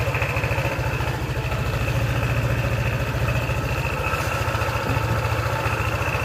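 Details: Honda PCX scooter after replacing the CVT parts whose broken gear bearing caused a rough noise from the rear wheel: engine idles with a quick, even low pulse, no grinding or rough noise.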